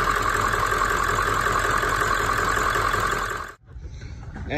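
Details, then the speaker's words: Ford OBS 7.3 Powerstroke diesel, 150,000 miles, after replacing the injector wiring harness (wet, faulty): steady, even idle with regular clatter, no misses or stumbles, running smoothly. "got the dang old new harness installed there and everything see if she does oh she's butter"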